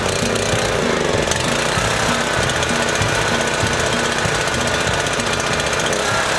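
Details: Small single-cylinder engine left outdoors three months, buried under snow, on 14–15-month-old 87 octane pump fuel, no additive, about half a tank; steady speed, fast even beat, no misses or hunting; running normally.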